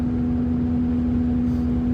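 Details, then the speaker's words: Saturn Ion driving near 55 mph: steady droning hum and rubbing over road noise, pitch dropping as speed falls about 5 mph; owner says not the engine, suspects bearings. "this traffic right here is going 55 so i'm going a little bit slower and you can hear the fact that i'm going just five miles an hour slower than i originally was my uh the noise is getting lower pitched"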